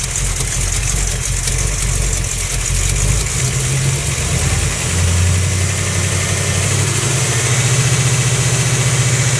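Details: Small-block Mopar 360 V8 with an XE268H cam, KB107 pistons, stock valvetrain, and new lifters and main, cam and rod bearings: idle with a rev blip and a dull, irregular knock under the exhaust note; not an exhaust leak, source unknown.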